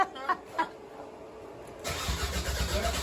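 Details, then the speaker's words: Toyota MR2 with a 3SGTE Gen4 engine, cranking: starter spins the engine at a steady pace, a dry even churn with no firing. "Alright, so what we do, we pull the 15 amp EFI fuse in the back because we don't want this engine to start on the first turn. We want to build some oil pressure."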